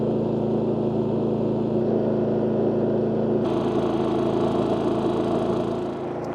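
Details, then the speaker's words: WEN 4800 W dual-fuel generator (DF480iX), just fired up after choke, eco mode off: steady, even drone with a constant mid hum, no misses or knocks, quieter than similar units; normal running. "All right, fired up first time. So overall impressions, now it's not on eco mode at the moment, and I can already tell this is actually a quieter generator than other ones that are, you know, kind of based off of this size model."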